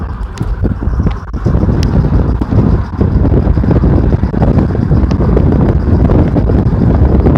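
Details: Irregular clicks from a car's passenger-side front wheel, half buried under loud wind rumble; the noise started recently and the owner does not know the cause.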